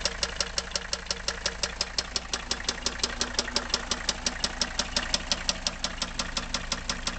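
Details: Mercedes W123 300TD wagon, OM617.952 turbo diesel, warm idle without glow plugs connected: sharp regular knock about three per second; rod knock, teardown found rod bearing surface gone.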